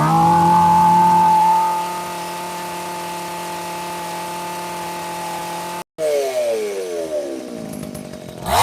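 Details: McCulloch PM610 chainsaw, dead for years, running after carburetor work: screams at a high steady pitch, drops to a smooth even idle, then revs again. Strong, healthy running with lots of power, though smoking.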